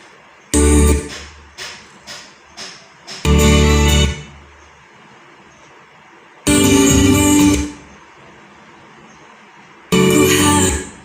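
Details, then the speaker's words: Sansui AU-5900 amplifier: music comes through for a second or so, then cuts to silence repeatedly; suspected DC reaching the output transistors, tripping the speaker protector relay, and a failed internal component, not yet confirmed. "cuplikan amplifier ini setelah saya perhatikan rusaknya itu kayak ada arus DC yang masuk ke transistor penguat akhir kemudian speaker protector nedo aktif gitu jadi muncul suara sebentar terus hilang suaranya karena reliefnya aktif"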